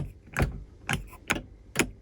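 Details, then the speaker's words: Land Rover Discovery: five sharp, separate clicks over two seconds with no motor run between them. The front sunroof clicks but does not open, while the rear sunroof works. "It's clicking, not working. The rear sunroof works. So the rear sunroof just opened."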